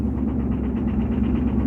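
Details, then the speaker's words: Ford F350 diesel truck after breaking down, owner thinks the turbo exploded: low lumpy rumble with an uneven pulse; running rough, might need an engine. "yeah this thing might need an engine it does not sound cool"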